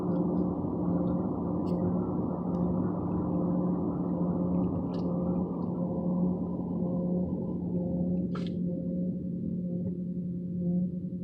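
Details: 2014 Ford Fusion; low steady moaning drone with constant hum from the gas tank area, car usually stalls afterward; cause unknown.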